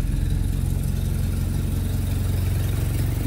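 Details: Jeep carbureted engine started after rebuilding the fuel pump and carburetor: low, steady idle with even firing pulses and no misses or knocks, running smoothly.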